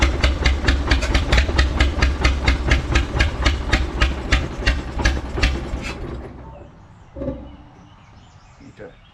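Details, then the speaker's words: Minneapolis Moline 5 Star antique tractor, rusty spark plugs: rough uneven chuffing about two beats a second with skipped firing pulses before dying; engine missing, at least two cylinders found low on compression. "You know, in the previous videos you've heard it running, but it sounds like it's missing."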